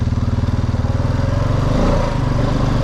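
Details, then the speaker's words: 2002 Honda Rubicon 500 ATV in D2 low-RPM drive mode, after wheel cylinder repair: steady single-cylinder thump, then the beat drops and smooths around two seconds as it upshifts early; normal automatic upshift. "You can hear it upshifting early, whereas D1's made for more performance."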